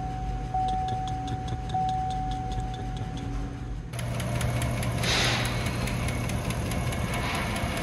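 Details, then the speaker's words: 2016 Chevy Tahoe 5.3L AFM V8 at idle with a customer complaint of ticking: a sharp, regular tick about five a second, louder on the driver's side and changing with engine speed. Valve train / AFM lifter failure suspected. "definitely sounds louder on the driver's side sounds like a valve train issue to me"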